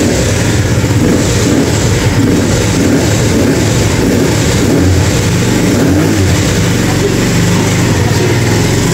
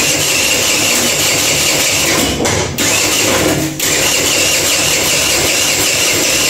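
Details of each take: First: Kuba Valentino 50cc scooter after engine rebuild: starts on the first press, steady even drone with a quick regular beat and no knocks or rattles; normal healthy running. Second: Kuba Valentino 50cc scooter whose top speed has fallen from 70-80 to 50-60 km/h, with odd noises inside the engine: harsh raspy grinding over a labouring start with two brief dips. Cause: backed-out stator screws rubbing the flywheel.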